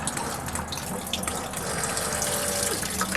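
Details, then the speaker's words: Ford F-250 rear-tank fuel pump tested via test connector; steady gushing splash with faint hum behind it. Both front and rear pumps now working; normal fuel flow. "So we got both sides working now."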